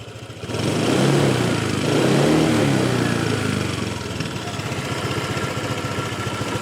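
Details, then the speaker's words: Honda PCX150 scooter starts, revs briefly, then idles with a fast buzzy rattle from the right side, coming from the factory exhaust baffle. "It's the exhaust baffle. The factory exhaust baffle is having a conniption fit."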